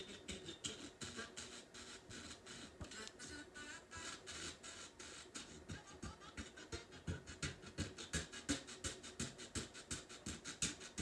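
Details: Heathkit AR-15 AM/FM solid-state stereo receiver under repair, FM tuner: station audio chopped by a steady pulsing about three times a second on both channels; an amplifier-stage fault is suspected, cause not confirmed.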